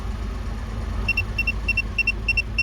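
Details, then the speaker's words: 2018 Infiniti Q50 with intermittent no-crank and CAN bus fault (CAN low abnormal at IPDM): engine cranks and settles into a steady low idle under a repeating two-tone chime; runs now, but CAN circuit problem persists. "so i said let me try to start it and guess what it cranked up it's running the engine is running"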